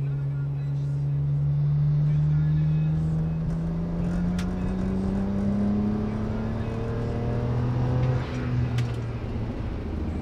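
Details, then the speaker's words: BMW E90 335i N54 twin-turbo after fixes, hard acceleration: engine note climbs smoothly with no stumbles or pops, no misfire, no visible smoke; normal acceleration. "well she definitely accelerates without misfiring so that's a good sign"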